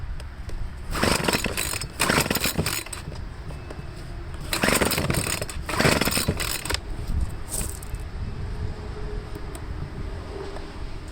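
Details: Troy-Bilt two-stroke leaf blower after carburetor cleaning, test start: surges and sags in uneven bursts, never settling, losing prime at the bulb; rough running from fuel starvation, tank out of gas.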